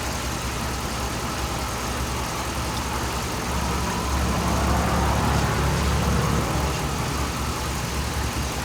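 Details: 2007 Dodge Ram 5.7 HEMI V8 idling while warming up after a water pump replacement; 140°F at the thermostat, and the coolant is still purging air. Steady, even low burble with no misses, knocks or squeals. Normal idle.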